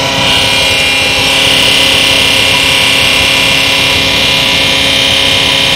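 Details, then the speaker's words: US military multi-fuel 15,000 BTU heater, new: the igniter starts, then a loud, steady rushing hiss over a constant hum with no surging or sputter; the compressor is very noisy but the heater runs normally. "The compressor actually makes lots of noise. So go ahead and start it."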